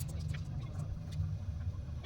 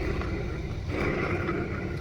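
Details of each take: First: Window AC fan motor after bearing replacement: steady low hum with no grinding, rumble or whine, only light clicks; previously very noisy from failed bearings, now quiet; normal running. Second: Window AC fan motor removed and run on the bench: rough, gritty rumble under an uneven whirring hum from failed bearings with balls missing; fix is replacing the bearings.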